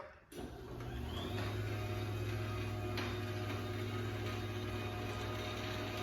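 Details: 2013 Chamberlain LW5000EV DC belt-drive garage door opener run without the door on one-piece T-rail: soft start click then smooth, even low hum, no rattles; normal quiet operation.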